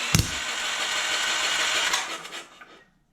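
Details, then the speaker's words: Pull-started DeWalt generator that won't start gives a sharp pop then a hissing rush, backfiring through the intake; the intake valve was found severely warped. "It's definitely backfiring or exhausting through the intake. So the valves need to be done."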